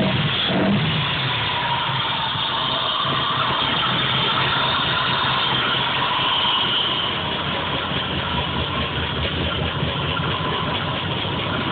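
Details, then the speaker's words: Engine before its black fuel-soaked plugs were changed, P0300 code: uneven stumbling idle, muffler and floor shaking violently; random misfire, cause unknown. "that's how it was running last night before i did anything muffler's shaking violently you even see the floor shaking"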